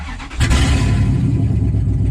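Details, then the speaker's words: 2003 Dodge Ram 1500, 4.7 Magnum with 255,000 km, just started: loud, raw, deep roar with no muffling; exhaust shot, pipes rusted out and leaking badly. "So here it is. She's loud. And the exhaust is shot."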